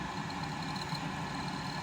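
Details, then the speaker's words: Carrier furnace inducer fan motor after replacement, test-run by jumping the red and white wires with no gas supplied: a smooth, even hum with no rattle through the cabinet. Much quieter than before, running normally. "Of course, there's no gas into it, but as you can tell, it's much quieter. It's not rattling the whole unit, so"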